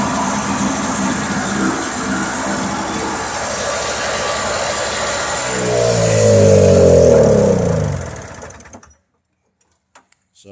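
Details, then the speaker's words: Toro CCR 2500 two-stroke snowblower that wouldn't start, top cover off, starting fluid put down the spark plug hole; owner suspects flooding or old gas: catches and revs smoothly with steady buzzing exhaust, then dies away; engine runs fine. "yeah there's the snowblower the engine's probably just flooded or the gas in the tank was old because when I put the starting fluid in it started right up so yeah working snowblower"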